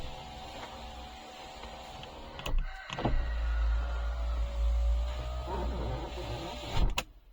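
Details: Power window on a BMW E87 squeaks in a thin, wavering tone with motor hum and clunks at start and stop; fixed by cleaning and lubricating the glass, regulator repair kit for broken regulator.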